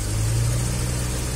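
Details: Suzuki Carry 1.0 three-cylinder that died suddenly on the road, with broken old spark plug wires found as the cause: steady, even low hum with no misses or stumbles; normal idle.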